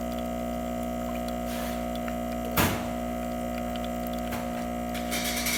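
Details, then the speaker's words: Breville XL espresso machine after OPV adjustment for a pressure problem: steady even pump hum, no rattle or strain while pulling a shot, pressure in the appropriate range, stopping at about 1 ounce; normal pump operation. "You can see the pressure is in the appropriate range. And it's going to stop there at about 1 ounce."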